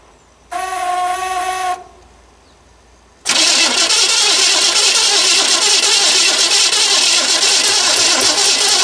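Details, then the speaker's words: 1970 Chevrolet Impala, fuel from small tank above fuel pump. Fast even cranking, about three turns a second, never catches; possibly no spark. "there so we got a few maybe we haven't got Spark I'll try it again"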